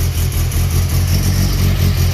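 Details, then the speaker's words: 1992 VW GTI track car, 2.1 16v stroker with 288 cams, after exhaust leak fix: deep, heavy idle with slight uneven lope in the exhaust beat, normal for these large cams. "but like i said you can hear just from the idle that this thing's got some uh some pretty decent work going on"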